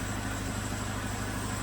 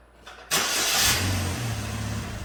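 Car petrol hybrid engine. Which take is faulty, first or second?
second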